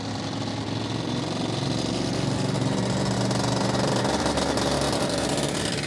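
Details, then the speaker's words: Yamaha IT490 two-stroke enduro bike running after exhaust refit with gaskets and carb swap: crisp, busy crackle holding steady with slight build mid-clip; throttle pickup differs but on the pipe it really wants to go, runs great, healthy and clean. "ran great. >> Yeah. >> Yeah. Really good. I mean, big difference between the two cars in terms of it throttle pickup, but actually when it's on the pipe, it it don't mess around. It really wants to go."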